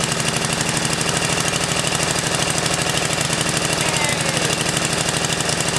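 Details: 10HP Tecumseh snowblower engine on its first run; the small single-cylinder catches once fuel reaches the carburetor and runs on with a fast, steady, lumpy putter near three beats a second, so it is running normally.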